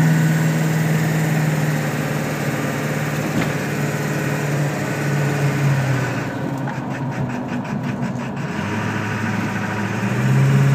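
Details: 1999 Ford F-250 Super Duty 7.3L diesel, 155k miles, chip/tuner and aftermarket intake, exhaust: uneven low thrum pulsing about four times a second at idle; rough idle, owner suspects burnt valve cover gasket harness firing the wrong injector.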